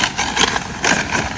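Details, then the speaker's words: Traxxas X-Maxx RC truck after an 80kg PowerHD servo upgrade, driven after crashes with a cracked front bulkhead: harsh gritty rattling whir in uneven surges; front wheels don't drive, front differential damaged. "you know what I'm kind of sick of hearing that noise I think we're gonna end the video there even on the front diff definitely didn't survive"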